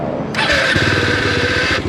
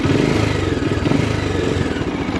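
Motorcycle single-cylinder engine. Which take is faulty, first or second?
first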